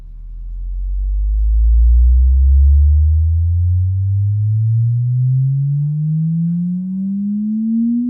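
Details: JBL L19 speaker after repairing a buzzing 116a woofer: smooth pure signal-generator tone glides steadily upward from deep bass with no buzz or rattle, woofer playing cleanly through the sweep.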